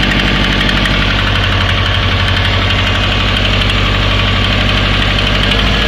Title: Стук мотора Subaru Forester SF5 EJ20 Turbo АКПП & МКПП (вкладыши)